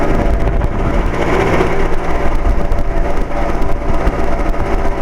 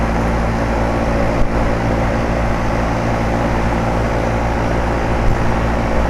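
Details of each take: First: 2007 Carrier 2.5-ton central air conditioner outdoor unit, weird noises off and on for four or five years: rough, fluttering rumble with uneven rattly pulses over the running hum; believed to be the fan motor, source hard to pinpoint. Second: 2007 Carrier 2.5-ton central air conditioner outdoor unit back to sounding normal after its intermittent weird noise: a steady, even low hum from the compressor and fan for several seconds, then gusty noise, with even airflow out of the top.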